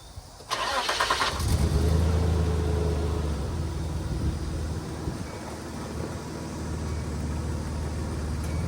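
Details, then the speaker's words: Nissan Hardbody pickup bought at auction, sat for months, fresh oil change and 5 gallons of fresh gas added to old fuel; revs fine when eased up but flutter and stumble when throttle is stabbed; owner suspects spark plugs, plug wires or old gas. "it's definitely got to stumble if you just stab the throttle if you ease into it the RPM comes up fine but if you just stab it it flutters so probably need some spark plugs maybe some water wires"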